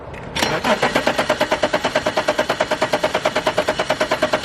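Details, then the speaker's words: Abandoned BMW E34 535i that sat 12 years, first start on a fresh battery with some gas given: the starter cranks steadily at about six beats a second but the engine never fires. The owner suspects no fuel is getting in and plans starting fluid next. "Alright, so I got a feeling for some reason it's not getting any fuel in, but it's a good sign that it's cranking over."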